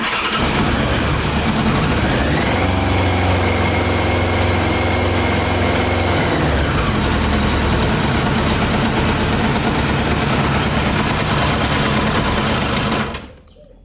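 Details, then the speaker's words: Yamaha YZF 600R running on 40% alcohol whisky, the rest water, after draining petrol from the tank and carbs: lumpy, uneven idle off the throttle, beat stumbling with a brief rise and fall in revs. Misfiring, rough running. "When I will let off the gas, probably it's gonna die now. Yeah. See, it's running rough now."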